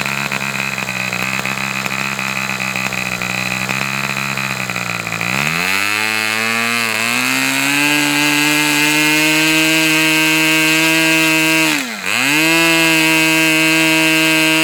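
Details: Fox twin-cylinder glow model engine: high buzzing note near 3600 rpm idle sags and briefly stumbles as one cylinder cuts out; low-speed needle to be adjusted two notches.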